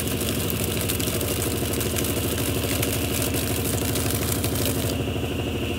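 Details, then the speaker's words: 1993 Brastemp Mondial rotativa washing machine running program 30 with clothes at low water level: steady whirring drone with rhythmic rub two or three times a second; owner says the noise is from the shaft seal (retentor), normal and will stop with time. "e a gente esse barulho esse em que vocês ajudando é o retentor é normal com o tempo esse barulho ele vai parar porque como a mecânica dela é norma retentor é novo essas coisas"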